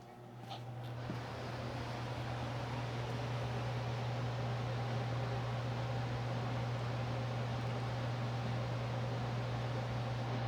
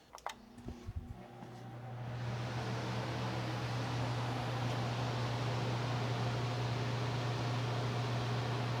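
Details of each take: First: DIY woodworking shop air filtration unit with three filters, before cleaning: steady fan hum and rushing air with faint irregular puffing bursts from one side; clogged filters restricting flow. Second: Fan of a DIY workshop air filtration system spins up after a brief clatter to a smooth, steady low hum with even airflow, no puffing bursts as when filters were clogged; running normally after cleaning all three filters.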